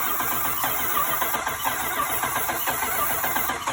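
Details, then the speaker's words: Crank-no-start after spark was lost; ballast swapped from another wagon, spark checked and the ignition unit is suspected burnt. Continuous even cranking churn that never catches or speeds up, no spark reaching the plugs; replacement ignition unit going in next. "think it's actually the ignition unit. I'll put this one in now."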